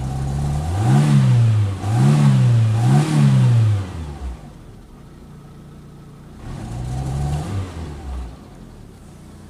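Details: Fiat Punto Mk2 1.2 16v petrol engine with rough idle, its speed surging up and dropping back in repeated waves.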